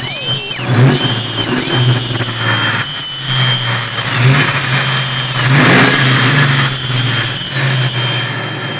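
A piercing high squeal runs constantly over the engine and dips briefly whenever the revs change; the source can't be pinned down.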